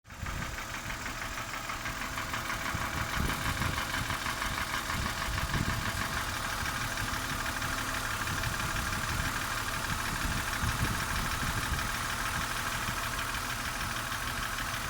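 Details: BMW M52B25 petrol inline six at idle: a light, regular ticking at about three per second fades when the oil filler cap is opened to release crankcase vacuum. The ticking is linked to crankcase vacuum.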